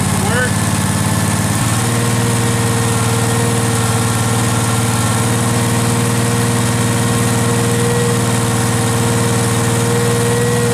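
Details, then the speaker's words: Restored Case 446 tractor, first start after rewiring, throttle cable not hooked up so at low idle: even, steady thrum with smooth firing beat, no misses or knocks; running healthy. "theoretically I don't have any throttle so it's at low idle but I'm pretty [Applause] [Music] [Applause] [Music] happy"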